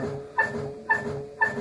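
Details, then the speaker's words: LG F1056MD washing machine, drum turned by hand with door open: short chirping squeal about twice a second in step with the drum's rotation, something rubbing inside like metal-plastic. "если открываем и начинаем прокручивать то слышно такой звук вот так затирается что-то как будто металлопластик"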